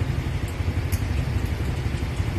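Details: 2014 Hyundai Tucson idling after no-start repair: nut added to the clutch pedal so it contacts the clutch switch, now starting with clutch pressed. Smooth, even low rumble with no knocks, ticks or hunting; normal idle.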